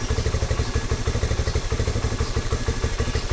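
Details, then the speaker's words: Rusi Flash 150X V3 2026 motorcycle, about 4 months old, cold engine: lumpy uneven idle about three beats a second with inconsistent firing, delayed combustion; owner says it steadies at operating temperature, rides fine; rough idle when cold. "Pero nangyayari lang naman ito pag malamig pa yung makina. At kapag na-reach niya na yung operating temperature niya, ito mamaya pag nagdalawa na ito or tatlo, babalik siya doon sa idle niya na consistent ang combustion. Pero sa ngayon, ayan o, delayed ang combustion niya."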